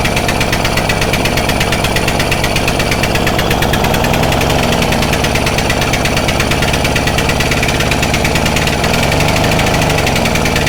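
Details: Stihl Magnum BR800 two-stroke blower at full throttle with choke off, after the high-speed needle is turned in slightly: loud, steady, high-revving buzz held flat out without surging or cutting out. Pulls clean and runs normally.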